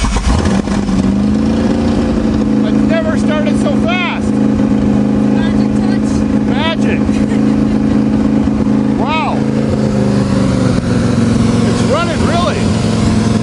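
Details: Carbureted Chrysler New Yorker, unstarted for months and buried in snow, cold-started after pumping the accelerator: catches and holds a steady, even drone, then revs smoothly up and down without misses; runs healthy after storage.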